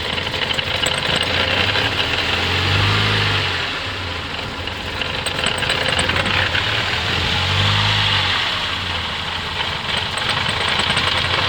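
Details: Mercedes 200TE petrol engine idling roughly, its low drone surging and sagging with a busy metallic clatter on top. It sometimes stalls when shifted into reverse or drive, and the cause is unknown.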